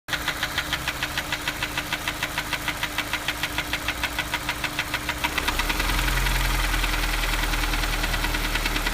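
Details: Honda S2000 petrol engine at idle: crisp, even tapping about three per second persists after replacing cam chain tensioner and checking bearings, compression, valves, cams, timing, injectors, gaskets and valve gaps; cause still unknown.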